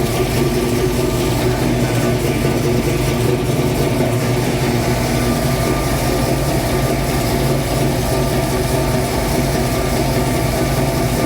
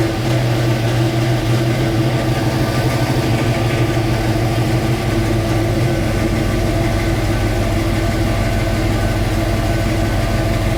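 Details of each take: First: 1966 Mustang Fastback, new 347 stroker V8 just after first start; steady, even idle sitting noticeably high, no misses or knocks, owner says carb idle screws need adjusting; fast idle from untuned carburettor. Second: 1966 Mustang Fastback, new 347 stroker V8 with carburetor, just after first start; deep, loud, steady rumble settling after a few seconds, no knocks or ticks, owner says idle screws still need adjusting; normal idle.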